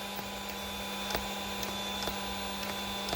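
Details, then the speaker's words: RC car steering servo hums steadily with faint ticks about twice a second but doesn't turn. It stopped working after the servo horn was removed and turned by hand, so the servo is considered dead and will be replaced. "all right so this Servo is definitely done for once I removed the servo horn moved it around turned it it stopped functioning"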